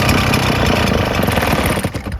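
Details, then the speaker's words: Husqvarna 580BFS backpack leaf blower, two-stroke, runs at full throttle on choke but on run position at full throttle runs rough, falters and dies; air cleaner clean. "it won't see it won't run on Full Throttle it won't stay running getting all the air in the fuel mixture it won't run"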